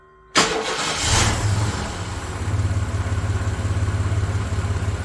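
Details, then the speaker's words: 1993 S10 Blazer after engine swap, EGR pulled after rough running, low on coolant: cranks and catches at once, settles into even steady idle, no tapping or knock; 55 psi oil pressure. Normal start and idle. "But at least she runs again, so that's cool. At least it ain't knocking, right?"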